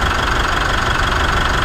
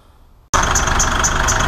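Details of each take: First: Mitsubishi Triton at idle, after sanding surface rust off an idler and light silicon spray (temporary fix for squeal): steady even belt hum, no chirp or squeal, running quietly. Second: Mitsubishi Triton diesel, idling before warm: high chirp pulsing about four times a second; drive belt squeal, surface rust found on an idler.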